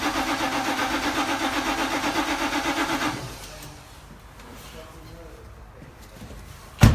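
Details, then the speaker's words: C7 Audi RS6 with poor starting: starter cranks steadily at about four pulses a second for three seconds but never catches; fixed by slaving an earth lead to the coils. Hard starting from bad ignition coil ground. "I'll give it a nice big round there on those coils do a test so problem fix so we know it's a growl problem"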